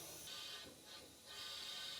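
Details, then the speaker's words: Porsche 911 Carrera engine, cylinder 5 at top dead center under leak-down test (80 in, 12 out), valve clearance OK: steady airy hiss from the exhaust as air pours past a leaking exhaust valve, little from crankcase breather. "yeah there's a massive exhaust valve leak there should be no air coming out right now and it's just pouring out"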